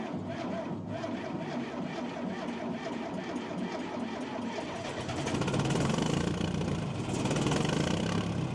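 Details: John Deere 310A backhoe diesel, first start after fuel system and fuel pump repair, left running to charge the battery and bleed air: a steady, even idle that picks up slightly and runs clean with no misses.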